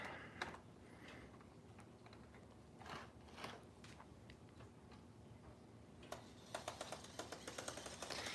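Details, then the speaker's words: Model locomotive with a cracked gear, audible running one direction but not forward, drive since turned around: light rapid ticking from the small drive, getting quicker and more regular toward the end, a cracked gear tooth catching. "You can hear that it has a cracked gear, but for some reason, when it's in forwards, you can't actually hear it."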